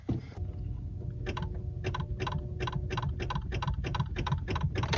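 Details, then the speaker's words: Mazda 3 manual with nearly six-year-old Duralast Gold battery: key turned gives only rapid clicking, about three per second, no cranking; dead battery, replaced. "So, this is Felix with Self Trail Approaches, and I have a dead battery in my Mazda 3. If you don't know what a dead battery starts like,"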